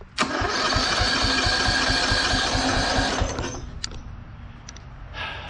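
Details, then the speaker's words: Abandoned Bolens FS-11 articulating tractor after rewiring: steady key cranking at about three and a half compressions a second for three seconds, then it stops. Normal cranking, not yet firing. "She rolls over by key. Sweet."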